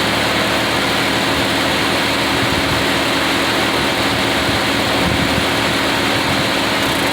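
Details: Engine idling after exhaust manifold gasket replacement: steady, even idle with a smooth hiss and no puffing or ticking at the manifold. A faint sound remains that should go away once the engine is hot; normal idle.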